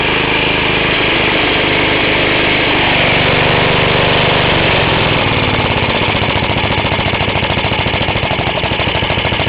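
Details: Half-restored 1954 reel mower: repainted Briggs & Stratton 6S, 1.6hp, non-original shroud, pull start removed, homemade throttle valve; plus 1984 Montgomery Ward B&S 3.5hp TMO-37425A. Brisk, even single-cylinder putter at constant speed, no misfires or rattles; normal running.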